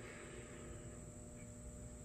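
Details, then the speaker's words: Battery charger on the heavily corroded battery of a Craftsman LT3000 lawn mower that won't start. Quiet, steady electrical buzz at constant pitch; battery believed dead, so it's doubtful whether it is charging. "hear it buzzing and whatnot you can hear that but I don't know I'm pretty sure it's not going to charge it because his batteries toast it"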